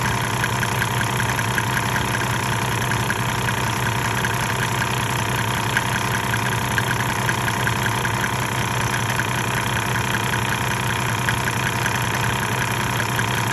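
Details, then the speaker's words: 1998 Mercedes-Benz E300 OM606 diesel, 185,000 miles, hot, at 9,000 ft, before Diesel Purge, smoking: uneven, lumpy idle knock of about 2.5 beats per second; rough idle, owner suspects injectors. "I haven't had the car probably seven or eight years and it's never ran fantastic I think the injectors would just kind of it spits these batteries a little here and there"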